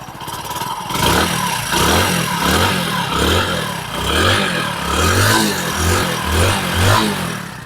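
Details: Hero HF Deluxe single-cylinder motorcycle after an engine rebuild: it catches and revs in steady, even blips about once a second with no knock or rattle. Normal running.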